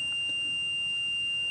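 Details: 2008 Workhorse Adventurer Limited 37GL UFO/R26 motorhome, HCU brake system: a continuous, steady high-pitched warning buzzer over a quiet room as brake pressure is relieved to zero via toolbox software during HCU removal, with CCM fuses pulled.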